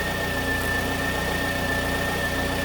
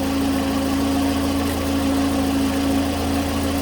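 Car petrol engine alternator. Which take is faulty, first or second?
second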